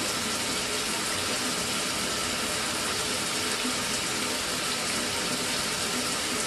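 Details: Mira (Zora) shower after replacing the faulty solenoid valve that made flow stop and start intermittently a few minutes after switch-on: steady, unbroken rush of water with no surging or cut-outs; even, normal flow after repair.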